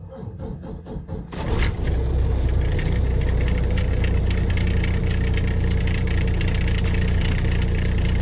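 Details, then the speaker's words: Volvo VNL D13 diesel truck with an ongoing hard-start problem (owner suspects injectors, air in the line or fuel pump): about a second of cranking, then it fires on the first try into a deep, steady idle. "well it start the engine actually start with that one one Trine so my experiment is not going to get done today"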